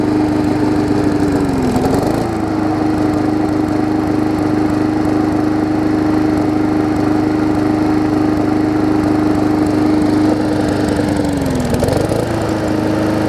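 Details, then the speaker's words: Briggs & Stratton Classic engine swapped onto a Hyper Tough deck with the gas tank from a Weed Eater 22" mower: steady, even drone with constant tone and two brief governor dips; runs smoother than the old engine. "it runs better than the old see if they continued workforce it's not really got great many a whole lot less more runs as smoother as she gets"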